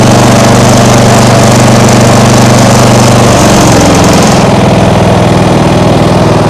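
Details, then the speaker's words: Small single-cylinder lawnmower engine (2010) on an outboard rig, idle left as adjusted: steady, even putter with no hunting or misses; stable normal idle, something getting hot. "think I'm gonna leave it like it is now. It seems to be running stable."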